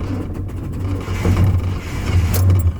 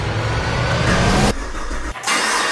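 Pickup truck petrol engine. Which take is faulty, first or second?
first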